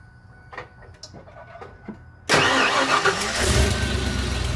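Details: EFI 460 big-block V8 after fitting an unadjusted Aeromotive adjustable fuel pressure regulator (35 psi key-on versus 30 psi stock): it catches after about two seconds and settles into a steady, even idle with no misses. Slightly improved, normal idle.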